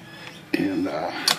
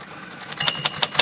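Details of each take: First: Vintage Royal typewriter typing with uneven bursts of sharp clicks, about three a second, plus extra light taps: key tops set too high strike the lid after key-top height alignment; the fix is flexing the lid slightly upward. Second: Royal typewriter (possibly a Safari or Custom III) after the lid was flexed upward to stop the typebars tapping it: a handful of crisp, even key strikes with no extra rattle or tap, typing normally.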